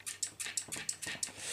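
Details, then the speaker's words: Cheap AliExpress magnesium clipless bike pedal (Xpedo Thrust 7) after a few hundred miles, just after a ride: quick run of sharp high chirps, several per second; squeak from ungreased pedal threads, later fixed with oil. "this pedal started squeaking so let me see if you can hear this oh it's pretty bad"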